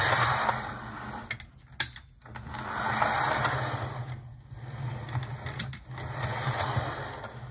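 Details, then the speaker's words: HO model locomotive with pantograph and an 8-pin plug but no DCC decoder, after earlier stuttering of unknown cause: small motor whirs steadily with light buzzy gear chatter that swells and fades as it rolls; running smoothly. "all right now it's running really well i just had some just had some stitching not sure what was going on but it's working fine now"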